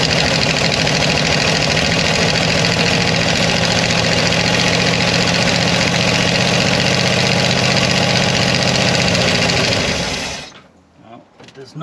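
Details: Mopar 360 LA V8 in a 1975 Dodge motorhome abandoned about 25 years, hot-wired and fed fuel from a bottle: fires and runs fast but ragged for about ten seconds, then fades and dies; stalls after starting, cause unconfirmed.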